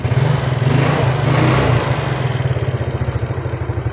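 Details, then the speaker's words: Yamaha Mio Soul scooter after piston and ring replacement: steady idle with a light, even tapping over the beat; valve tick from the worn camshaft, which was not replaced. "suara klep dan [Musik] kruoken AS ya noken as yang gak diganti itu ya blakbalik saja"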